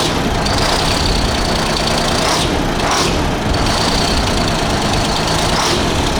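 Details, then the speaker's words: 1975 Freightliner FLT with a Detroit Diesel V12 two-stroke, after the dead cylinder came back once air cleared from the new injector: loud, even idle with all cylinders firing and some exhaust-leak chuff. Oil pressure is about 20–25. "I think it had air in it. That was That was probably the new injector and hadn't filled the body completely yet."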